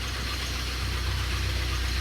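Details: 2002 Pontiac Grand Am SE 2.4 with a failing number 2 connecting rod, started after sitting a long time: rough, heavy idle with a dull, steady knock under the engine drone; rod knock.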